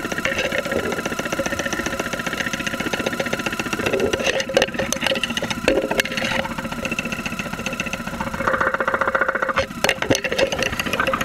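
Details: 2001 Saturn SL2 run with very low oil and unused for two months, heard through a stethoscope microphone at idle with 35-40 psi oil pressure: a sharp tapping knock about three to four per second that follows engine speed. Bottom-end knock suspected.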